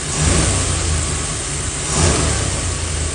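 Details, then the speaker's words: 1953 Ford Customline flathead V8, possibly original at about 41,000 miles, blipped twice: uneven, lumpy, pulsing rumble; rough running and shake despite new carburetor, electronic distributor, ignition, plugs, wires and timing; some cylinders low compression. "but it runs really rough and now especially at idol you can kind of see there's a little Shake but watch as I give it a little RPM"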